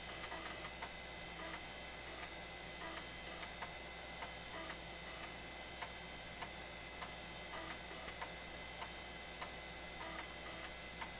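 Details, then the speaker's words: Floppy drive in a 25-year-old IBM Aptiva copying MS-DOS 6.22 files from original disks: quick irregular ticking and head-stepping chatter over a steady fan hum; normal reading. "I don't know if you can hear over the fan noise but the floppy Drive is chugging away miss that sound was such a cool"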